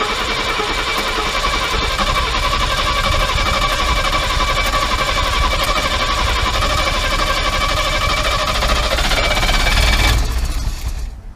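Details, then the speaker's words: Mercedes W114 freshened engine on first starts, a big vacuum leak heard and tightened: lumpy idle with irregular chuffing about four a second; ignition timing believed really badly retarded. "The timing must be out. Yeah. Like really, really bad. Yeah. Really retarded."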